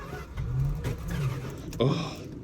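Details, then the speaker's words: Old farm truck in sub-zero Alaska, cranked after a little gasoline is poured in: uneven low chugging bursts that catch and fade without settling into a run; hard cold start. "I bet she starts oh you hear that she's trying she's trying can't falter for trying now can"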